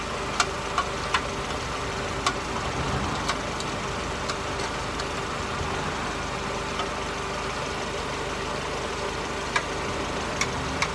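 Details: Mercedes SLK R170 on stands, recorded under the car at steady idle. The old, rusty exhaust has a rough, raspy note with scattered sharp ticks. The owner suspected a leak but none was pinned down; the central exhaust mount had failed.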